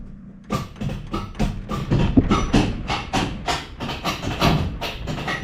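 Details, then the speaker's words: 1957 Chevy 210 Bel Air clone: repeated sharp clunks about four a second, starter clicking and engaging but not cranking; engine turns over by ratchet so not seized, only occasionally fires; owner suspects weak starter. "Well, now it barely ever turns over because it just does that stupid clicky thing. And you can hear it engage. So I don't know if the starter's getting weak or what, because like I said, the engine still turns over and it will every now and then take off and fire."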